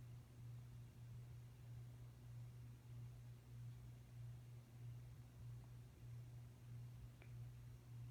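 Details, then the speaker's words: Hometrends 42-inch ceiling fan with oak blades: steady low hum with slow gentle swell; cause uncertain, possibly the shades or the fan being very heavy for a small motor. "just have a hum to it okay so it's not it might be a shade but it could also be it's just very heavy for the fan"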